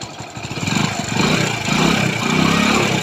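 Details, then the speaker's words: Hero Splendor single after engine rebuild/rebore to stop smoking: idles and revs gently with a light uneven ticking rattle, a mild timing chain sound; replacing the timing chain would improve it. "तो देख सकते guys, तो जो sound है वो मतलब हल्का timing chain का साउंड है।"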